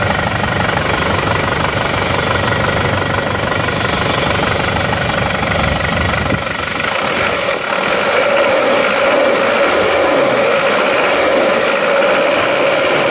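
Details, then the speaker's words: Isuzu D-Max diesel after fitting its original injector nozzles, idling; even clatter about four beats a second, no misses, limping or shake that it had before; normal diesel idle. "Akhirnya akhirnya normal juga sudah rata tidak pincang Seperti yang kemarin sudah kita ganti nosel orinya ini jadi memang asli punyanya"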